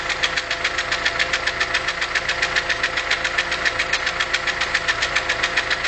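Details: VW Polo 6N 1.4 L at idle: sharp, even ticking in quick steady rhythm with engine speed; engine lost power and juddered, caused by a hole in a hydraulic lifter. Hydraulic lifter tick.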